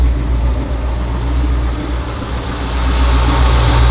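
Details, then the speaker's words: V8 truck after repair, running on all eight cylinders: a steady, even idle with a smooth low rumble and no skips or stumbles. Exhaust smells normal; the engine is running cleanly. "Sounds like it's running good."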